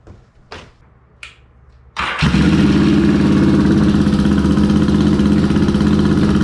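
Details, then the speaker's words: Yamaha XS650 with BS34 carbs, pilot screws set at about two and a quarter turns out, second plug wire reconnected: twin catches and settles into a steady, even idle of about four beats a second; pretty darn close. "now that's pretty darn close"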